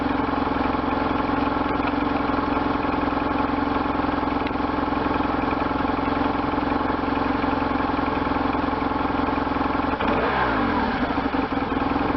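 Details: 1998 BMW R1100RT boxer twin, first start after restoration, throttle bodies not yet tuned: steady even idle with a firm low beat, then a short throttle blip that settles cleanly; normal revving.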